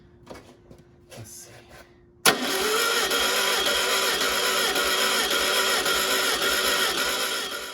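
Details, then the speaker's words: 1969 VW Karmann Ghia 1600 dual-port engine on a stand, sat for unknown years, mileage unknown: starter cranks steadily at about three beats a second without catching, using starting fluid; fuel reaches the filter but apparently not beyond. Crank, no start; cause unconfirmed. "I got fuel in the filter but not seeing any c"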